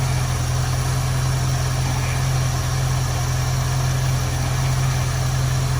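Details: 1973 Ford Mustang convertible 302 V8, Motorcraft 2150 two-barrel carb; idle mixture screw turned in until rough, low steady beat with uneven loping pulse, lean rough idle before backing off to smooth.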